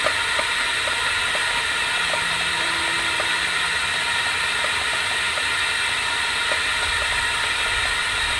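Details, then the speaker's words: LSR UV spot repair packer in 6-inch pipe held at about 8 psi while liner presses against host pipe, before UV cure; steady even air hiss with faint regular ticks, no surging: packer holding pressure normally. "take the pressure up to about and the six inch to about 8 psi again we should take about a minute maybe seconds of that"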